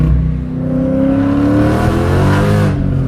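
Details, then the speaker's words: 2017 Dodge Challenger 6.4 L Scat Pack, Whipple supercharged, stock internals, 46,000 miles boosted, AMSOIL 0W-40; deep V8 climbs smoothly under acceleration with steady blower whir, no knocks, compression sounds good. "Yeah. That compression sounds really good. Yeah, that's 46,000 miles on boosted."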